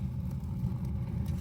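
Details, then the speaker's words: Jetmaster open fire being lit, damper plate fully open, paper lit inside first to warm the flue; low steady rumbling roar with faint flickering as the fire draws hard up the flue, which is normal and nothing to fear. "As you can hear it roaring. Don't be frightened of that. People get scared of that,"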